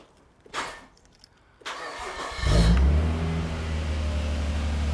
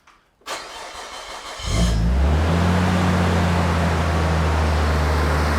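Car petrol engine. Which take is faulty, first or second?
second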